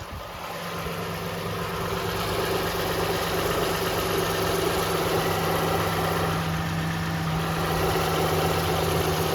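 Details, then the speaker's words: 2006 Toyota Highlander 3.3 L V6 just after a water pump replacement, restarted while drawing in coolant: smooth, even idle with a steady low hum and no ticks, misses or knocks, firing cleanly; normal idle. "Sounds good, she's running good, she's firing good."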